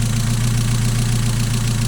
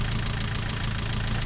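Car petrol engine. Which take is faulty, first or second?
second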